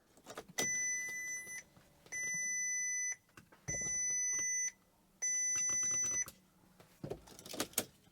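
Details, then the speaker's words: Crash-damaged Bentley Continental GT 6.0 W12 after a new radiator pack: four identical high two-tone chimes with no engine firing as the dash shows "system fault workshop" and "backrest not locked"; won't start or lock, and a flat battery is suspected. "It won't start? No. No, it just says system fault workshop."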